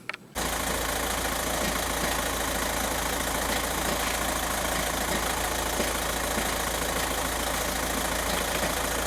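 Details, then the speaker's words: 2006 VW Jetta TDI 1.9 BRM with low boost P0299 at idle: loose irregular clatter over the diesel note; worn dual mass flywheel rattle. "let's get underneath the car here real quick that's dual mass flywheel rattle"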